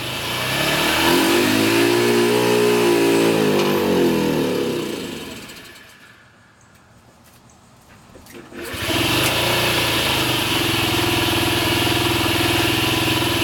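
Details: Cold Honda Ruckus with carb vacuum piston hose plugged by finger: revs up, falls away and dies for a couple of seconds, then restarts to a steady idle. Unplugged it stalls with any throttle. Plug, carb, battery already done; owner suspects ECU.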